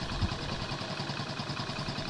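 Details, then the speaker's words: Hero Splendor bike after repair: kick had been sticking and noisy because a broken gear dog fragment lodged near the kick spring; after removal, light even single-cylinder idle with no clatter or scraping, kick returns normally. "अब return भी ले रहा है और आवाज भी नहीं वग में कोई फल्ट नहीं था"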